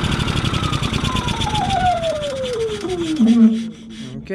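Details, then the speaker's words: Yamaha EF4500iSE inverter generator running with a bad inverter board (no output to outlets): chugs unevenly, then pitch sags for about three seconds and bogs almost to a stall, sounding rich as if choke were on, though it has no choke. "so at first we try to start this generator with the bad inverter board and we noticed that the this seems like the choke is on"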